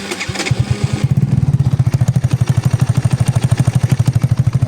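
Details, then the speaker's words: Motorcycle engine after fixing a knock in the right side cover (worn nut and shaft near the clutch replaced, nut locked against play), reassembled: steady, evenly spaced thumping run with no clatter from the side cover; noticeably quieter, normal running. "тише стало работает. Вообще песня, вообще пушечка."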